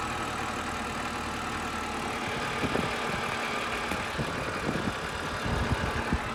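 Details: BMW E90 with N52 engine idling, worst at cold start: faint high whine, owner suspects from oil filter area and present with AC off, plus irregular light knocks only around idle; cause undetermined.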